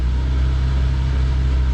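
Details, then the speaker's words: High-mileage 1992 Honda Accord CB9 wagon, after not running on all four cylinders, heat cycle before an oil drain; steady, even low idle rumble with no misses, knocks or ticks. Normal idle. "to still have my door panel off I gotta give it a heat cycle so just listen to that baby purr"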